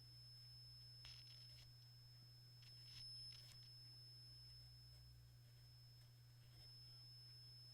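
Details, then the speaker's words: Hitachi K-2400 TV/radio/tape combo after contact cleaning, on radio with a strong signal tuned: thin steady high-pitched whine over a low hum; source not yet found. "there's a big signal you hear that there a horrible wine coming from"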